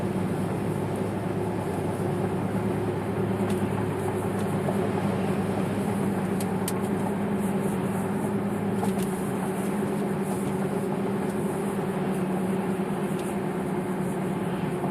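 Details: 2009 Chevy Impala LTZ on Sunny tires, moving: a steady low howl/hum with a slight wobble from the front end over road noise, louder inside the car; tire noise suspected, not confirmed.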